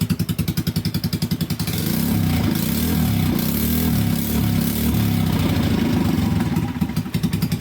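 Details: Yamaha Vino 125 single-cylinder scooter, bought abandoned and non-running, fast-idle electronic choke unhooked during repair: fires evenly at idle, revs cleanly, holds smooth steady note, drops back; running normally.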